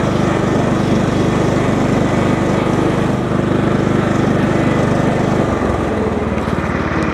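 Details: 20+ year old John Deere L110 lawn tractor, outdoors: steady, even single-cylinder chug, constant beat, no misses or surging, slight settle in pitch; ran great, nothing weird.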